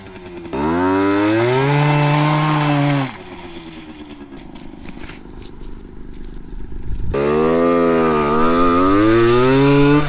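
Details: Yamaha RX50 50cc two-stroke barn find on top speed run climbing hills: high buzz climbs smoothly, eases off, winds up again cleanly; pulling strongly, running properly.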